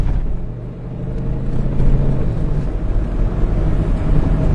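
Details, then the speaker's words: 2002 Ford with rough idle and hesitation, after a keep-alive memory reset and about 35 minutes of driving: deep, even rumble building cleanly with throttle, no stumble. The car is responsive and idle is smoother, a normal acceleration. "all right let's get out of here car is responsive"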